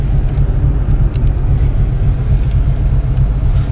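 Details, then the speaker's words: 1986 VW Golf 2 with a 1.8 GX 90 hp engine, after about ten minutes of running: a deep, uneven idle rumble that lopes and shakes and nearly stalls, like a tractor; the cause is not yet found. A rough idle. "нет смотрите держит не глохнет nutella хитон до сих пор как трактор все машина 3 бежице мог подойти чуть не вот чуть не грохнул"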